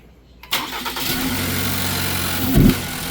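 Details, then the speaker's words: 2020 Ford Transit Connect just started: a low, labouring idle that sags as if about to stall, with the temp gauge pinned hot. Codes P1299/P017D; it sometimes shuts off. Cause was a bad alternator, not the sensor or PCM. "See, it wants to bog down. The temperature gauge goes all the way to hot."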